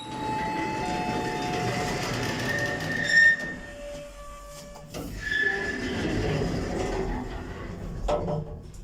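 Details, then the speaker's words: Modernised lift with DMG fixtures, Metrocentre coach park, travelling. Loud wavering high squeal over the car's rumble throughout the trip. It used to be slightly squeaky but has dramatically worsened; unlikely to be repaired. "Lift going up. I really can't believe how bad this has got. Used to be a little bit squeaky, but never anywhere near as bad as this."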